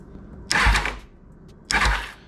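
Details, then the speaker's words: 2000 Kawasaki ZX6R, cranks but won't run, fuel-delivery fault suspected: two sharp clicks about a second apart with engine off as the fuel pump relay switches in, and the pump can be felt working; circuit working. "you can hear the click come from here that's good hold on a second okay so I can feel that pump working so that's good"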